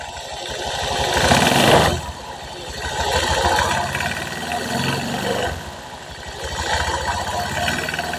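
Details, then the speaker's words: Honda Vario 150 scooter: revs rise and fall with rough uneven knocking from the crankcase, present at idle and clearest at 2000–2200 rpm; possibly oil path fault after engine reassembly, unconfirmed. "Intinya kita analis dulu untuk suaranya jenengan perhatikan ini rpn idle ada suara KK di bagian sini Mas jenengan perhatikan Ketika nanti rpm-nya naik naik itu ada suarak"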